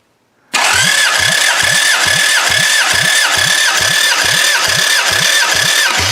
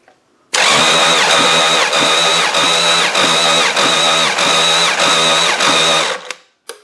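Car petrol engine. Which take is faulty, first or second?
second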